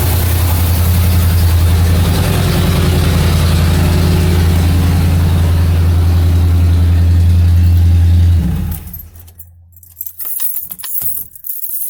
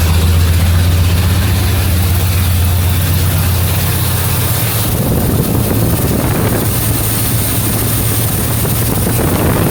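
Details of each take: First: 1977 Mercury Marquis straight-piped V8 running after carburetor fuel line replacement: loud, deep, even rumble with steady firing, no misses, then shut off; runs smoothly with no leaks; accelerator pump repair still pending. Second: 1977 Mercury Marquis after replacing the leaking carburetor fuel line and removing emission parts: a low, steady idle drone for about five seconds, then the note drops away as the engine dies; it stalls after starting and won't hold idle.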